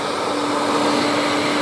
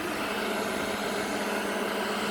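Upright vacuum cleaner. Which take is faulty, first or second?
first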